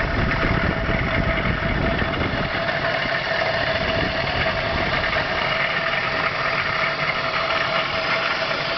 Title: weird engine noise